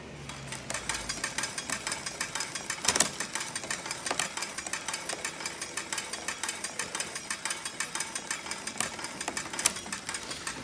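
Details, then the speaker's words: Trek Rail e-bike rear end: rapid, even metallic clicking as the chain runs over a poorly indexed cassette; a worn chain and cassette are also possible. "i don't know whether you can hear that as good as the others but that is poorly indexed gears okay the clicking of the gears of the chain as it's going round is actually really poorly indexed"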